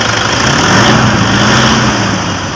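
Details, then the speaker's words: 2012 Toyota Innova after alternator clutch pulley replacement, engine revved: revs up and settles cleanly with steady hum, no scraping from front accessory drive; charging 14 volts; normal alternator operation. "Guys, okay na, wala nang ingay. Wala na yung parang nagkakaskas ang bakal."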